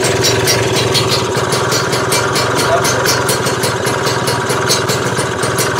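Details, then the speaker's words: Freshly built Lambretta Series 2 two-stroke scooter at idle after adjustment: steady, even putter with regular firing, no misses or hunting; sounds healthy and properly timed, later timed to 17 degrees. "sounds healthy mate so I'm I'm pleased about that"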